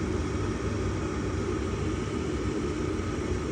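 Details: Ruud furnace with newly replaced draft inducer motor, thermostat call simulated by tapping 24 V red and white wires: steady low whooshing hum with even airflow rush, no rattles or bearing noise; inducer running normally before gas.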